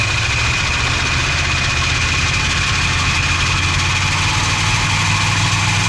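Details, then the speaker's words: 440 big block V8 from an abandoned 74 Chrysler New Yorker, started by filling the float bowl and cranking on spray, with a poor carburetor and a vacuum leak: a loud, steady, deep rumble with no knocks. Normal running. "Although that thing sounds strong. That carburetor sucks. Yeah. Although, hey, I told you it would go. Well, we got her running on camera."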